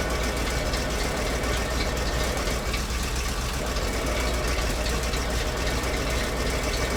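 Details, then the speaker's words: ZIL truck crane abandoned 20 years, first run after oil top-up; dense loose idle rumble with uneven beat about four per second, engine running steadily. "Друзья, работает. Вообще тачка огонь. Прикольно, все прикольно."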